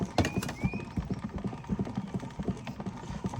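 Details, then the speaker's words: Victor Victrola 35 portable wind-up phonograph, in for service before repair: uneven ratcheting clicks and soft clunks while cranking, winding feels awfully easy; something seems a little loose in the spring motor, said to be common with these motors. "she's winding just seemed awful easy make sure she's turning yeah she is okay well we thought it wound up that much feels a little odd something's a little loose in there but that's actually pretty common with these these motors"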